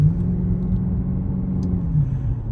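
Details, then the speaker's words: Cadillac STS after replacing factory-original spark plugs and coil packs: deep, steady rumble pulling evenly under acceleration with no missed beats; no more missing, running smoothly. "Damn, sounds way better. Like before, I mean, she always sounded good. Let me be clear, right? She always sounded good. But now, like, there's no missing, there's no nothing."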